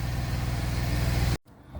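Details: Gen2 Chevrolet Traverse after replacing nuts, bolts and gasket at the pipe between resonator and muffler: smooth, evenly paced low idle pulses with no exhaust puffing or ticking; exhaust leak fixed, normal idle.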